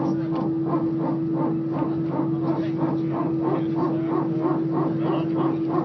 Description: This weird noise was heard from an EasyJet